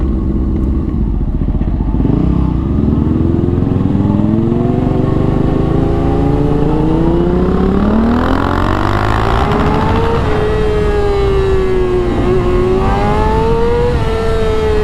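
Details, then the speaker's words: 2004 Honda CBR600RR riding after the restrictive throttle cable was replaced. A strong, clean engine note climbs smoothly through the revs under load with no misfire or hesitation: normal acceleration, feels like a new bike. "We're making power now. Woo! Bro, I couldn't explain to you what this feels like. It feels like a brand new bike."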